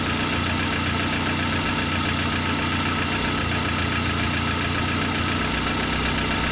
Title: صوت مزعج ومحرك غير مستقر ...؟؟ قلة المعلومات يبعث فيديو ولا ينطق اي كلمة